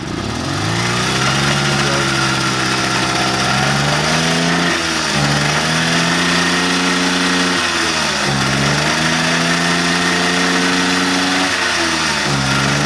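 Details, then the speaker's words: 1977 Puch Maxi N moped, first start in years with quick temporary fuel setup before tank cleaning: buzzy two-stroke catches right up and runs steadily, dipping and rising with throttle blips, slightly uneven but firing cleanly. "It's alive! Oh, wow, whoa! Nice. Holy moly, it fired right up!"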